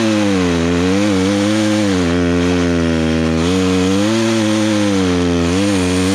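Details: Poulan Pro two-stroke chainsaw that sat for three years, freshly carburetor-adjusted, cutting a log: strong, steady howl dipping and recovering slightly as the chain bites, never bogging, running cleanly under load; chain probably needs sharpening.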